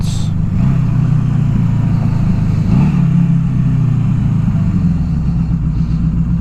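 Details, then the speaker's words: 1982 Suzuki GS750T high-strung inline four (redline about 9,500); steady low burble holding fast idle around 2,000 rpm, dipping slightly, won't idle lower, owner wonders if tach is off; unstable low idle. "and it doesn't like idling lower than two I'm wondering if the speedometer or the tack is off cuz it idles just fine right here at two"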